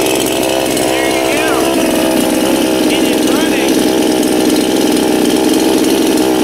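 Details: New Anbull chainsaw, first start after many pulls to draw fuel up to the carburetor: settles into a steady, even buzz with no misses or surging; running normally.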